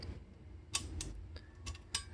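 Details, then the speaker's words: MTB with triple chainring, front middle ring and rear outermost (small) cog only: crisp regular ticking while pedaling as the chain's outer plates rub a protruding shift pin (two specific pins) on the big chainring; not a shifting fault. "이동해 있으니까 얘네들이 돌아가면서 여기 튀어나왔던 아까 그 핀 있죠 급히 4 계속 스치는 거에요"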